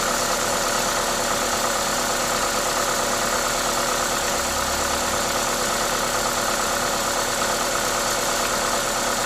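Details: Toyota 2ZZ-GE engine: steady, even note under a loud hiss from the aftermarket induction kit, no knocking or ticking; normal, healthy idle.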